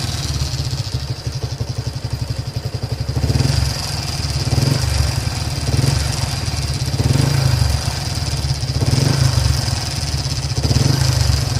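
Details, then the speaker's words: Yamaha LC135 5-speed motorcycle idling: loose metallic rattle with uneven surging every second or so, described as a loose-metal engine noise; owner says the clutch was recently replaced. "Oke, aku harap korang boleh dengar lah bunyi engine dia tu. Dia ada seolah-olah bunyi longgar, bunyi besi longgar."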